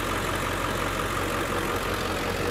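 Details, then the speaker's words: 2003 Ford Excursion Limited with the 7.3L Powerstroke diesel, hood open, idling: steady, even diesel clatter and low rumble with no misses, knocks or hunting; a normal, healthy diesel idle. "It's just a great motor. We'll pop the hood here. Trying to do this with one hand. There we go. Nice and clean underneath. You can hear it running."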